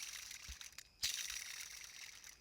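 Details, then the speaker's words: Belt tensioner removed and spun by hand near the mic: dry gritty rasp from worn pulley bearing grinding even without belt load. "so if it's this noisy without any side load from the belt can imagine how I feel when the belt is on and it's doing like 2 000 RPMs"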